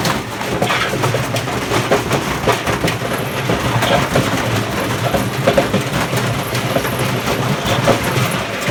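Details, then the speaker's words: Hotpoint FEW12 washing machine, hot-wired motor, no ballast, spinning toward full speed: harsh rumbling spin with loose irregular clattering knocks; badly worn drum bearings, belt slipping and jumping off. "Sounds like we lost the belt. That's the peril of using a machine that's so dead. Such bad bearings."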